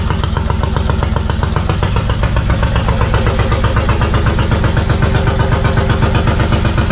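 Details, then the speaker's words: 1999 Suzuki Intruder VL1500 V-twin that had sat unused, fresh gas, choke out, fuel leaking from the carbs: lumpy, uneven idle at about four beats a second, apparently firing on one cylinder; owner suspects carburettor problems. "she's running uh it sounds like it's running on one cylinder so I'm gonna go ahead and assume there are some things going on with the carb right now"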